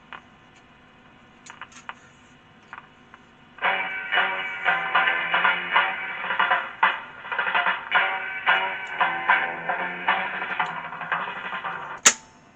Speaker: playback's okay you can hear from that